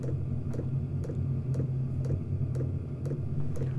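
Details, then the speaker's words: Chinese all-in-one diesel heater newly installed in a workshop, mic on shirt beside the unit, past initial fire-up and running at power level 2 (low): soft regular dosing-pump clicks about twice a second over low steady fan hum; normal fuel pump ticking. "So you can hear, hopefully you can hear the pump running quite slowly, so not burning an awful lot."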